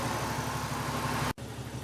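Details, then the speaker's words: Jeep Cherokee XJ with a new aluminum triple-fan radiator, warm idle with the gauge near 210°F (owner suspects the gauge is wrong): steady whooshing fan rush over a low idle, then an abrupt cutoff. Fans rated on at 185, off at 175, cycling normally. "so the fans say that they'll come on between 185 they'll come out at 185 shut off at 175"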